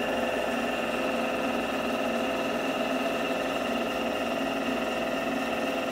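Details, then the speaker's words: Drill press converted to a milling machine, side-cutting with an end mill: steady harsh ringing buzz with several shrill tones; end mill chatter because the swivel-type, non-fixed table flexes. "Sự rung động thật tuyệt vời. Bạn nghĩ sao? Chà, nó rung nhiều nhỉ, cái bàn này không phải loại cố định, nó là loại xoay nên cạo rất nhiều , nhưng độ rung thì tuyệt vời ."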